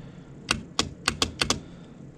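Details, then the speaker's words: Gooseneck trailer winch bench-tested on a battery with controller, winch out: six sharp irregular contactor clicks with no motor hum or spin; motor not turning, to be tested separately. "try a winch out. Interesting. So you hear the clicking, something's going on."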